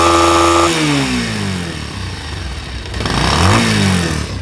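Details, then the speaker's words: Pulsar single-cylinder motorcycle after a new gearbox was installed. The exhaust note rises and falls smoothly with the throttle, with no grinding or clatter; the earlier rubbing sound is gone and the bike is running healthy. "আগের মতো ঘষঘষি সাউন্ডটা এখন আর নেই। তো এখন আপনারা ইঞ্জিনের সাউন্ডটা শুনুন।"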